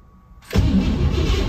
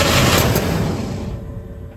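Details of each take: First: 1957 Pontiac Star Chief sitting over 10 years, new battery fitted: after a quiet start the starter spins the engine steadily for a second with no firing; cranks fine but won't start, spark not yet checked. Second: 1957 Pontiac Star Chief engine after sitting over 10 years, started after fuel pump check and fresh fuel: cranking, brief pause, then catches and settles into steady, even low rumble with no misses; running normally.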